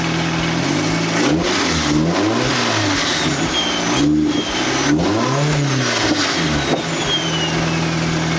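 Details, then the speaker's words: Nissan 240SX with SR20 swap, first start after GTX2860 dual ball bearing turbo upgrade, 850cc injectors, Z32 MAF, FMIC, 340lph pump and new ECU; catches and revs up and down cleanly in several blips, settling to steady idle; small audible exhaust leak. "all right so it sounds really good idle is like on point I don't see any leaks I don't smell anything"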